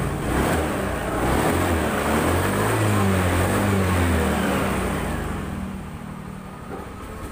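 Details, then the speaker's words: Honda Scoopy FI after fixing mil code 7 (EOT engine oil temperature sensor socket re-soldered), kick-started as battery weak; small single-cylinder engine idles and revs cleanly, steady even beat, no misses, code gone. "Oh, udah nggak ngedip, udah jadi. Kita engkol aja karena akhirnya rada ngedrop. Kita cas dulu. Motor udah enak, digas juga udah."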